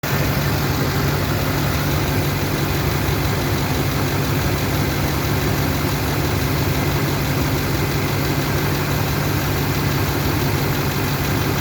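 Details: LMM diesel at idle: deep steady drone with a faint uneven beat; blowby and a cylinder 7 misfire suspected, unconfirmed.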